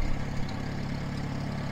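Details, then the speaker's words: International 424 tractor brought home and started for the first time, coil hot side jumped to the battery on 12 volts and a fuel shut-off added to the line: steady low rumble, even firing, no knocks or misses. Normal idle. "here we go whole thing runs good i like it"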